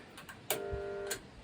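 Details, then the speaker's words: Pool pump motor switched on before repair: short steady electrical buzz but never spins up; won't start because the start capacitor failed, with overheating. "Donc là, il s'active pas du tout le moteur. Il s'active pas à cause de ? À cause du condensateur qui a lâché, du condensateur de démarrage du moteur qui a lâché."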